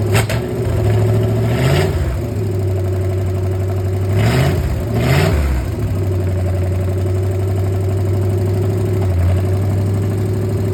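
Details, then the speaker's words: 1964 Chevy 283 V8 budget build in a 1981 Jeep CJ-5, first start-up, choke kicked down manually: lumpy rowdy idle with throttle blips and faint light ticking; a little tappety, owner may need to adjust rocker arms. "It's a little tappety. I may have to adjust some of the rocker arms, but I figured that might happen."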